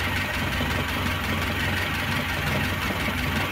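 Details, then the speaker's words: Carbureted Lada with electric Gazel pump, idling while warming up toward full temperature, choke off after 5 minutes: light steady ticking on the engine beat, camshaft knock from heavily worn cam and bed; original AvtoVAZ camshaft ordered. "посмотрю за сколько она до полной температуры прогреется слышно СТП распредвала"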